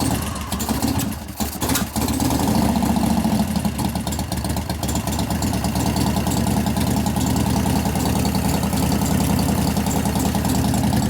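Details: 1988 Harley-Davidson FXR V-twin idle, pushrods adjusted to zero clearance during lifter noise repair and cam change: loud, lumpy idle with a fast, light ticking on top; cause suspected, not confirmed.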